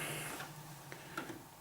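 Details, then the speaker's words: HP inkjet printer about 19 to 20 years old, powered on with no ink cartridges fitted: a few soft clicks and a short mechanical whir as the carriage homes; normal old-school start-up. "But yeah, let's just turn it on. Makes noises, it's good. Old school sound."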